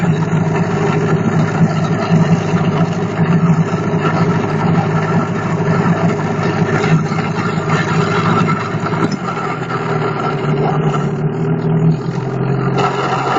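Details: Engine knock: a low, uneven tapping beneath a steady idle rumble; its cause can't be pinned down.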